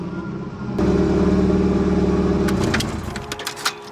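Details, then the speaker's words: 1990s Nissan 240SX S13, about 30 years old, idling after a battery change. The idle sags and keeps wanting to die, then firms to a steady drone when throttle is added. A fuel supply issue or bad fuel pump is suspected, not confirmed. "there we go is it gonna die that sounds like a fuel issue huh because it comes back to life as soon as i give it gas"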